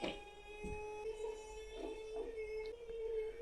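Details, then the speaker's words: First test of relay-based mechanical high-voltage switching supply oscillator with freewheeling diode; annoying nasal buzz near 450 Hz whose pitch wobbles with handling and mechanical vibration; oscillation frequency is unstable. "it works may hear a very annoying buzzing sound sounds like a cat that's had some problems"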